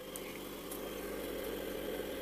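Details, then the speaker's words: 90 W refrigerator compressor running on a small 12-220 V 300 W inverter during a power-outage test, door left open: soft steady electrical hum, even low drone, no knocking or rattling: normal compressor running. "I don’t know if you hear or not how the refrigerator compressor works?"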